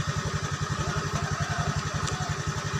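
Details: Honda Beat scooter that was dead when the key was switched on, now running with a jumpered relay as an emergency fix (a new relay is advised): steady, even rapid single-cylinder idle with no misses, stumbles or knocking; healthy.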